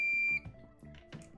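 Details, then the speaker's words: Multimeter (avometer) after buzzer repair, in continuity mode: clean steady high-pitched tone starting and stopping with each probe contact, light also on; buzzer working, sounding better than before. "şöyle kısa devre moduna alıyoruz bu durumda Hem bazı çalacak hem ışık yanacak"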